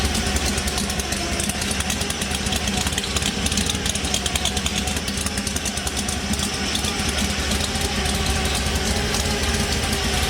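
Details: 1964 Ford Fairlane Thunderbolt V8 with a huge cam and gear-drive timing, running on avgas, at first start. Loud choppy idle loping a few times a second with busy mechanical gear-drive clatter; healthy.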